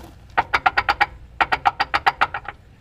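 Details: Suzuki Samurai transfer case with Trail-Gear 4.9:1 gears, on the bench: sharp quick metallic clacks as the input shaft is rocked, 3/16 to 1/4 inch play; same gear slap on clutch-in while driving in two cases, suspected excess backlash.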